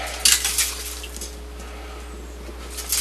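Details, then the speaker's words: 1968 Ford Mustang's old, patched and leaking radiator shaken: gritty bursts of clinking as loose lime scale rattles inside the tank, a reason to replace it. "you can definitely hear. Hear that? It's full of lime scale."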